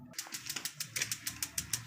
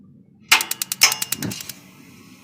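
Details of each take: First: Propane tankless water heater with weak batteries (about 2 V reaching the solenoid) before battery replacement: sharp spark ticks about seven per second with no burner whoosh; gas valve not opening from low battery voltage. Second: Tankless water heater after fitting new batteries: a quick run of about ten sharp igniter clicks, then a steady hush as the burner lights normally. Before the battery change, not enough power reached the solenoid.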